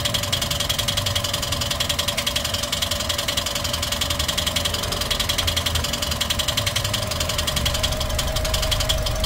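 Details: Toyota 1NR-FE engine at idle with a noise complaint: fast, light top-end ticking about 3.5 per second that follows engine speed. Cause unconfirmed; engine being taken apart to check.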